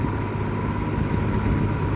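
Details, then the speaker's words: Likely 1950s W. W. Welch Air-Flight 20-inch box fan, model 20W-U, Universal motor, Torrington aluminium blades, on high speed after oiling: smooth even whoosh with steady hum, no rattle or scrape; motor and bearings running healthy. "I am actually astounded at how how quiet this thing is it's a very smooth Runner"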